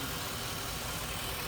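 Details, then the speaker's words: 1987 Chevy C10 with 305 TBI, after tune-up and throttle body rebuild clearing rust and grit from the injector bowls: steady, even idle with no misses, knocks or surges; normal idle. "And I'm here to tell you too, folks, this little old thing sounds pretty cool. This old 305 hasn't ever sounded that healthy."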